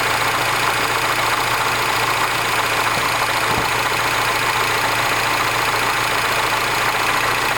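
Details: R56 Mini Cooper S, morning cold start: steady cold idle with a loud, busy metallic rattle above the engine note; abnormal noise when cold, cause unclear.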